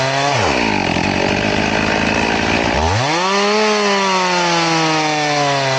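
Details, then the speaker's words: Chain filed to 10 degrees, crosscutting wood: the engine bogs deep as it bites in, labours a couple of seconds, then screams back up. It works but is not recommended, being smooth but very, very slow. "Do I recommend it? No. It's slow. Very, very slow."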